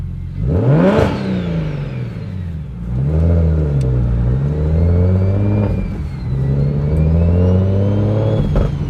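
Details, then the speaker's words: BMW 135i N54 on its first drive after a Doc Race single turbo kit: strong, clean revs climbing and falling, turbo whir rising with boost, and the exhaust no longer rattles; normal acceleration. "oh bro I don't know man o this car feels so good sounds way different holy sounds good exhaust isn't rattling anymore too which is nice"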